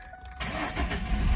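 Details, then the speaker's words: Manual car with a dead battery, clutch in, jump-started from an NPET P4F 1000A jump pack reading about 15 volts: a brief quiet crank, then it catches in about 0.4 s and settles into a steady, healthy run. "Oh yeah, no problem. And it jump started it there. Did pretty good actually."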